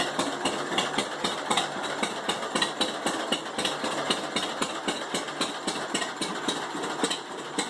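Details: 1945 John Deere H two-cylinder tractor with a bad starter runs with crisp, evenly spaced popping of about four beats a second, steady throughout. It had sat 20-plus years and was revived after cleaning the carb and mag; normal running.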